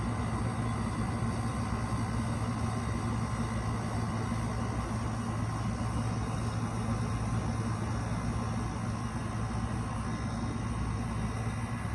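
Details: Window air conditioner starting up in a hot, humid garage: steady low compressor hum with an even fan rush and no knocks or rattles while it builds head pressure. Running normally.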